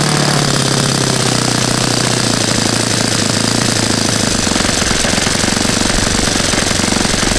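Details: Saito FA-100 glow four-stroke after rebuild (new bearings, gasket set, tappets; exhaust tappet was mushroomed), APC 14x6 prop, Omega 10% fuel, OS F plug: loud, rapid, even firing with a brief pitch dip at the start, then a steady run; healthy.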